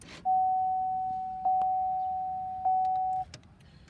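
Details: 2005 Chevrolet Suburban: three even mid-pitched chimes about a second apart as the key is cycled; truck doesn't recognize park, won't crank except in neutral, doors don't auto-unlock. Owner suspects park/neutral switch, door control panel or ignition switch; unconfirmed.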